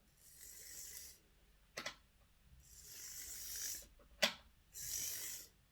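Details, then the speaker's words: Hornby R857 BR Ivatt Class model locomotive (sent in for poor running, especially backwards), tested after rewiring and soldering: light smooth whirring bursts as power is applied, no clicks or grinding; small motor and gears run quietly and cleanly. "seems fine right although everything runs quietly without sitting on a towel and we'll see what it sounds like on the layer"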